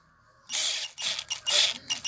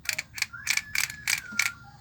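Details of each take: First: Hammer PLI12 cordless drill, battery at 11.5 V, after repair of clicking, strange noise and no reverse; spins up in bursts then steady even motor whine with no grinding, holding torque well under load; repaired. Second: Hummer PLI12 cordless drill-driver, motor already repaired and now turning both directions: short bursts of dry clicking and rattling, about four a second, over thin motor whine; something in the gearbox seems loose, suspected, not confirmed, before gearbox teardown.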